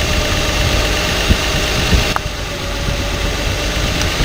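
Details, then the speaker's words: Six-cylinder truck engine with flashing check-engine light and code P0350, coils unplugged one by one at idle: rough idle with connector clicks; unplugging cylinder 6 coil barely changes the note, identifying its faulty ignition coil as the misfire. "si notaron que se encontró el cilindro 6 dónde está la falla que al desconectar la bobina la última bobina ustedes vieron que el no hubo prácticamente ningún cambio en el sonido del motor"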